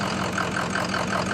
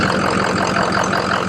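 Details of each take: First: Ford F-350 diesel after replacing injector #3 and refitting the high-oil-pressure rail: an injector cutout test at idle makes one cylinder miss with a lumpy clatter and a 30 rpm drop, then it returns to a smooth idle, confirming that injector was the fault. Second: Ford F-350 diesel idling after replacing injector number three, confirmed faulty by 30 rpm drop when disabled: even, steady diesel clatter with no misfire or stumble; smooth on all cylinders after repair.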